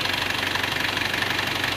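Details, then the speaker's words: Panther diesel after engine repair: starts straight away, crisp and smooth, engine not shaking. Even diesel clatter with a regular, unbroken beat and no misses or knocks, a clean and healthy normal idle. "Sementara ini ya, langsung hidup enak, cegreng dan suaranya juga halus seperti mesin pun tidak goyang ya lur ya, rata banget."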